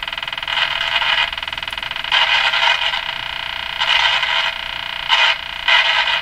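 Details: Canadian Westinghouse Model 577 radio after the low B+ fix: harsh crackle in irregular bursts while tuning; it vanishes when the tuning capacitor is fully open, so a scraping plate is suspected, with DC on the plates possibly worsening the static.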